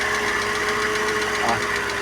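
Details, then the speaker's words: Ford Fiesta Supercharger engine running irregularly and stalling soon after; rapid light ticking about eight per second over rough idle from the top end; head gasket suspected. "bastante barulho aí na parte de cima né como dá pr ver e daqui um pouco ele desliga"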